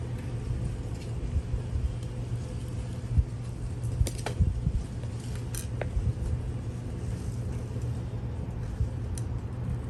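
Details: Vintage Raychem Thermogun Model 750 heat gun after rewiring crumbling wire and straightening crooked fan blades (the suspected cause of an earlier noise). Steady, even fan hum with no scraping or ticking over light handling clicks; runs smoothly.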